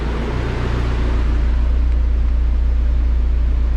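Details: Dodge SRT-4 after AGP front-mount intercooler and BorgWarner turbo install, used OEM Mopar part fitted, warming up to temperature; steady, even low idle with smooth rhythmic pulse, no knocks or stumbles; normal idle.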